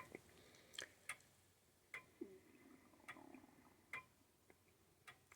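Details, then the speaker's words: Old grandfather clock during setup, pendulum has stopped a few times when not level: ticks about once a second but unevenly spaced, tick and tock not matching, so the clock is out of beat and needs beat adjustment. "and it sounds like mine might be a little bit out of beat ticktock tick tock tick talk"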